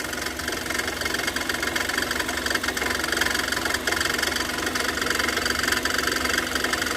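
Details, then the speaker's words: Kia Sorento idling with water poured over the drive belts: harsh, chattering squeal pulsing about three times a second from the wet, slipping belt; the owner complains that driving in rain makes the noise and lights the battery warning. "Vamos jogar água aqui em cima das Correias Olha aí ó tá vendo o barulho olha só Olha que barulho chato"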